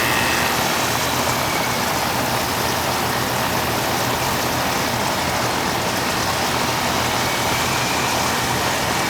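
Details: Old Amana R22 AC outdoor condenser, running on cooling, pressure around 141: steady, even hiss and fan rush with smooth compressor hum, no rattles or knocks. Normal condenser operation.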